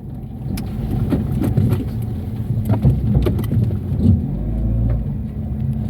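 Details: Chevrolet Cobalt on a test drive after the cylinder head refit: sharp, irregular clicks over a low hum during slow turning manoeuvres from worn CV joints. Both are to be replaced, and a wheel bearing is also humming.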